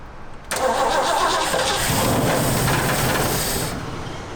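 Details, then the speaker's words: Old Ford Bronco: about three seconds of steady, slightly uneven starter cranking that never catches, then cuts off; trying to fire but won't start, and more cranking power or fuel in the bowl is suspected. "Well, I can hear it's trying to fire."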